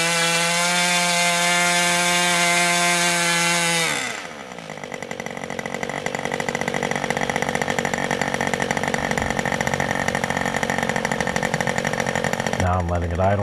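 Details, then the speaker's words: Old Austrian HP 61 two-stroke nitro RC airplane engine: high steady scream drops to soft, slightly burbly idle that keeps running; idle/transition mixture a little rich. "now that i've watched the video the transition is still a little bit on the rich side"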